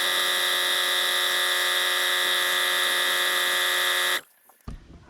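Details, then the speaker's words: 1980s Sanborn air compressor after drive pulley repair (scrap pulley bored on a lathe, ground screw locking it into keyway): even steady buzzing pump note without knocks, then clean shutoff at 120 PSI cutoff; normal running. "so we cut we ched off at cut off at 120 PSI seem to be holding up good"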